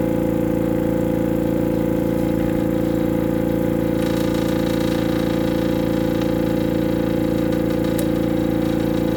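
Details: AromaO2 oxygen concentrator compressor hums and pulses evenly at about two strokes a second with no hiss. An internal hose has come off.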